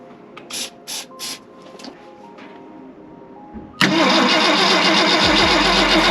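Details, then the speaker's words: 1965 Ford Galaxie 500 on points ignition cranks steadily after a few clicks but never fires. Carb cleaner was sprayed in, the coil gets power with the key on, and the battery reads 10 volts. Points give no spark, so a Pertronix electronic ignition is planned. "I got nothing from points. Well, since I had no spark, conveniently I had a Pertronic system, both the coil and the igniter and all that, for my F100"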